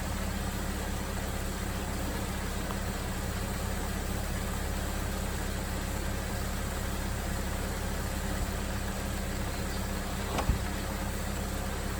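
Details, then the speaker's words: 2000 Jeep Grand Cherokee after fan relay replacement, engine warmed to near operating temperature: constant rushing whoosh from the electric cooling fan over a steady, even idle, no rattles or knocks; fan cycling on normally after repair. "but we got the getting close to temperature TV kicks off hooray came on here at cycle up now we're winning"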